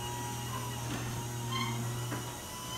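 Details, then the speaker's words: Garage door after lubricating moving parts with lithium grease and several days of open/close cycles: low steady motor hum, faint light rattles, no squeal or scratching as the door travels; normal quiet operation. "[Music] that sounds a lot better and I want to close the door now and see how that sounds and again that lithium grease only works itself into the seams and gets better and better as time goes on check that out no scratchy squeaky sounds that are gonna blow your eardrums or wake up kids when they're sleeping at 5:00 in"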